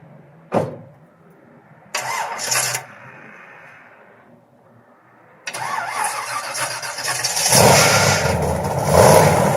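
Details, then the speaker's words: 1969 Corvette, 383 stroker V8 with apparently mild cam and MSD distributor: after handling noise it starts right up and settles into a fairly even, lumpy idle with no knocks, a healthy start. "it's a 383 stroker it sounds like it has a mild cam in it um it's got the MSD distrib distributor it starts right up so that's a good thing"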